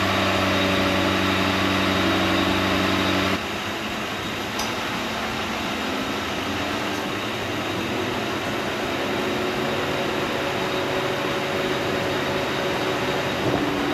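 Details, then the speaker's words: 2004 Mercury Grand Marquis with 64,000 miles idling steadily and evenly with a fan whooshing, AC on, right after its first start in about 8 to 10 years following a new fuel pump install. Normal idle. "it's truly the first time it's ran in about 8 to 10 years"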